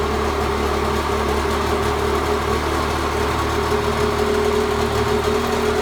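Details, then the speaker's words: 1986 Mercury 35 hp two-stroke outboard after tilt-trim motor brush repair and carburetor idle raised slightly: steady even burble, constant pitch, no stumbles; idles cleanly in forward and reverse gear. "either increase the idle a little bit and that seemed to help it smooth out it in neutral and then keep it running when it went into forward and reverse gear"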